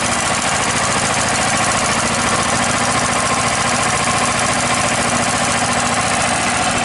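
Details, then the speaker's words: DuroMax XP10000EH generator on propane, idle control on so it idles down unless there's demand: low, steady idle with an even mechanical patter and no misses or knocks. Normal low idle. "it's idling real low because I have the idle control on, which basically, you know, idles it down unless there's demand."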